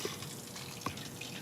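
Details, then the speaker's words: Removed Volvo 240 shock absorber pushed by hand: watery sloshing and gurgling with sharp clicks; it compresses but fails to spring back up, a worn shock with fluid sloshing. "doesn't sound very good it's okay that they compress it this amount but they should spring up and well they don't"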